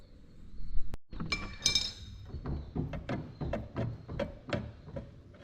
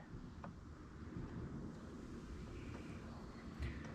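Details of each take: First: Mower deck after it hit a low spot and a stump: a bent deck piece catches as it turns, giving irregular tick-tick metallic clinks over a low rumble. The fix is bending it back out with an adjustable wrench. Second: Riding mower after bending back a bent part that was hitting and finding a squeaking rear pulley with a burr: low, even drone under wind, no knocking or scraping from the deck; runs clean now.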